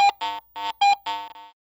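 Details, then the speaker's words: Garrett AT Pro International metal detector with iron discrimination set to 35 and iron audio on: distinct low-high-low beeps, five short tones in about a second and a half, marking a target that is unmistakably iron. "the distinctive low high low response now indicates a Target that is unmistakably iron"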